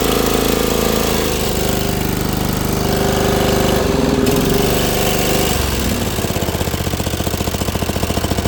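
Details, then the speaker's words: Dixon ZTR Kodiak SE zero-turn mower, first start after charging, choke on, half throttle: lumpy, uneven running with a wandering beat settling into a choppy pulse; rough running, cause unconfirmed. "Why is it Why is everything shutting it off? Let's shut it off. No starting. No, this thing is all sorts of messed up."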